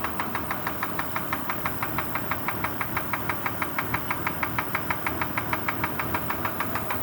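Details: Kia Sorento at idle: sharp, even, metallic knocks about three per second over the idle; piston pin knock suspected, not confirmed.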